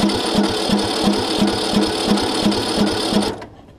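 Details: John Deere LA105 riding mower that sat about 3 years outdoors, after a starter solenoid replacement and with starter fluid added; steady chugging crank at about three beats a second that never catches, cranks but won't start.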